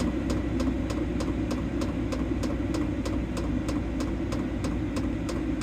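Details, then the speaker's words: Evenly spaced sharp ticks, about three per second, over a steady low fan roar: the diesel heater in a 2012 Ford E250 van, turned down from high to setting 1 by remote, with normal fuel pump ticking. "that might bother some people that little ticking but actually doesn't bother me I don't even notice it at all"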